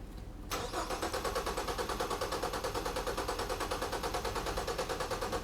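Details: Four-cylinder engine cranked with fuel pump relay pulled during relative compression test, amp probe on negative battery cable: even, steady cranking around three beats a second with no skipped beats; four equal compression events, balanced compression.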